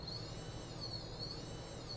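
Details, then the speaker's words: Chaos 3115 brushless FPV drone motor bench-run after removing a small piece of metal debris stuck to the magnets: clean even high whine swelling with throttle, no ticking or scraping; normal, brand-new motor running. "there's no noise so i think if that's all this was i mean no so the motors i'll tell you flat out the motors are fine there's absolutely nothing wrong with these motors is brand new"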